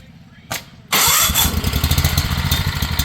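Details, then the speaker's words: Home standby generator just started on full choke, output off; chugs and hunts with a lumpy, uneven idle until choke is moved to half; uneven idle on full choke. "Okay. When the idle is going funny like that, you can put it to half."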